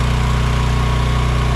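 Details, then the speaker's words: AGT Industrial H13R mini excavator idling to warm up after first start following a winter buried in mud with battery left in; steady, even low drone with constant putter and faint fixed whine, no misses or knocks, normal idle. "We're going to let the machine uh idle for a bit to warm up"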